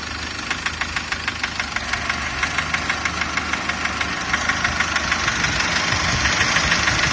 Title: Стук в двигателе SsangYong Actyon Sports 2, DTR2.0